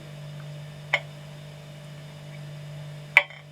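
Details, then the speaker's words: Junghans torsion clock with 0045 torsion spring being regulated: two crisp light ticks about two seconds apart over a faint hum, evenly spaced with slight supplementary arc; clock in beat and running happily. "and about the same there. So it's in beat and it's running quite happily."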